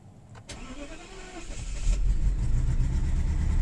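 Crank and catch, then a lumpy uneven cold idle with a stumbling beat about three to four per second, pointing to a misfire.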